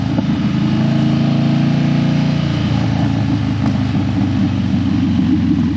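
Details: Harley Dyna that died when hot and wouldn't crank hot, after a suspected battery fix: steady, even V-twin rumble, no stumbling or dying. Running smoothly.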